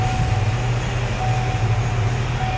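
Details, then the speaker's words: 2019 Chevy Equinox 1.5 with a crank-no-start fault; a bulletin points to the camshaft reluctor. After the fix the engine catches and settles into a steady, even low rumble with no misses or knocks. "it is running"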